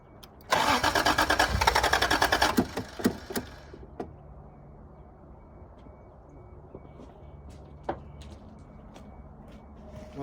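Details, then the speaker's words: 1986 Toyota Supra, no fuel pump heard running and tank probably empty: cranks, catches and roars about three seconds, then stumbles and dies; starts but won't keep running, suspected fuel problem. "Well, it looks like she wants to start, wants to run."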